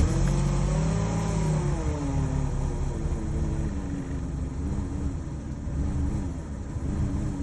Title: Chevy Cruze Rough Idle and Check Engine Light